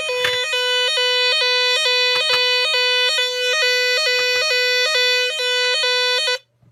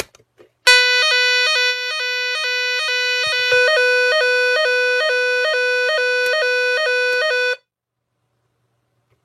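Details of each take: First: Nugelec NUG31218 type 4 fire alarm panel, mains cut, battery flat: loud two-tone wail alternating about twice a second, pattern shifting partway then cutting off; owner unsure if the change is intentional. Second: Nugelec Planete NUG31218 type 4 one-loop fire alarm panel, repaired, retest after rearming manual call point: loud pulsing two-tone siren cycling steadily for seven seconds; sounder working normally, though it doesn't sound the full 5 minutes.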